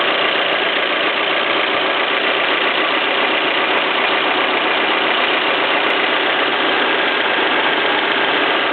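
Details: Peugeot 307 1.6 16v petrol engine at idle with a busy, fairly fast, uneven ticking clatter (claquement); the source is not pinned down.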